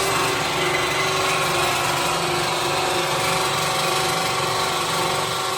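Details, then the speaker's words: Steady electric whirring with no engine firing as the electric pump primes the fuel for about a minute before starting the Deltic locomotive 55009's Napier engine; normal operation. "I'm going to prime the fuel. So we've got a pump here. Okay. Electric pump, and it's about a minute."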